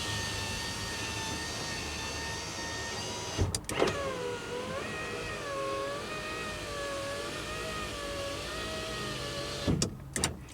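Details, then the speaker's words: Van power window under repair, engine off, weak battery, wheelchair lift cycled several times: window motor whines, pitch sagging and wavering as it labours on the up stroke; slow power window, owner blames the weak battery. "sounds like it's struggling a little bit going up but the battery in this van is not very good and the engine's not running"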